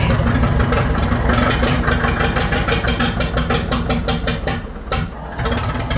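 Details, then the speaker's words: Farmall 650 diesel tractor, cold, just switched over to diesel: stumbling, uneven misfiring and hunting at about two beats a second, with white smoke. Air in the fuel lines suspected or other issues; diesel was also spraying from a leak. "She don't like that. Better warm up a little bit here. Fuel. So it could be air in the lines, or it could have some other issues going on."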